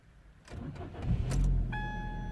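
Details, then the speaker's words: 2008 Ford Focus with intermittent no-start complaint, first start of the day in freezing cold just after fitting a new battery: short one-second crank, catches cleanly and settles into steady idle; normal start, no problems. "so i just fitted the new battery uh let's start it the first time today i haven't even turned the ignition on so let's gonna do it so i can show you see if he starts okay"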